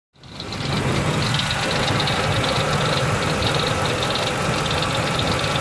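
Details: 2003 Ford Expedition V8 at idle: steady light tick a few per second keeping time with the engine; owner suspects a pulley, hopes not internal; cause unconfirmed engine ticking.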